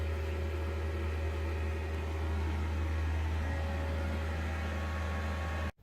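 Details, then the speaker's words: Diesel heater in a Cub camper trailer run on highest setting to burn off carbon: steady low hum with constant fan whoosh, no surging or popping; heater running normally on high. "Alright, so we've got it on the highest setting now, just to show you what that sounds like. It's turned into a dry sauna in here."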